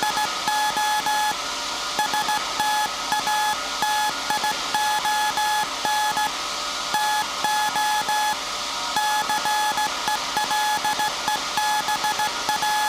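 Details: SAQ Grimeton 1924 Alexanderson alternator, 17.2 kHz VLF CW centennial transmission, punched-tape transmitter soon handing over to manual telegrapher keying; clean beeps near 850 Hz in on-off Morse rhythm, pitch rock steady, faint hiss; normal keying.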